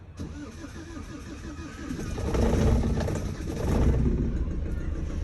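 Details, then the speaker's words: Maxus V90 diesel van that broke down smoking with oil everywhere, compression known good, oil cooler suspected: cranks briefly, catches quickly and settles into an even clatter as revs rise and fall, a healthy start. "starts up well it's not too it's not too bad just have a little look see what's going on"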